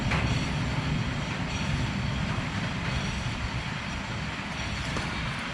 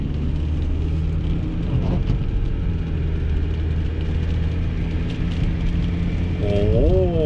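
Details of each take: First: 2020 vehicle up on a lift with its rear wheel spinning freely. A steady rumbling growl with a rough, gritty clatter comes from one side, while the other rear bearing sounds normal; the worn rear wheel bearing is confirmed. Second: Car driven at 20–25 mph, where a rear wheel noise used to start, after rear repair: steady low road rumble with no growl or hum building with speed; rear wheel now quiet and normal.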